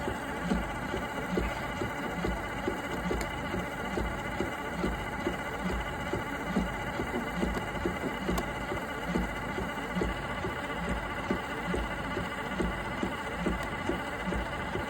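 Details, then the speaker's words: Robot mop's dock, bought at Goodwill, with an AC running in the background: a steady patter of about seventy light taps a minute over a soft wash hiss as the pad is washed and water is added. Normal pad-washing cycle. "That's the washing process. It'll eventually stop adding water."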